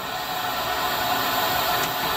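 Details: PulseRam self-cleaning dust extractor vacuum for tile removal with HEPA filter muffling: steady loud rushing hiss, running evenly with no strain or rattle, filter-cleaning valves popping inside; normal running.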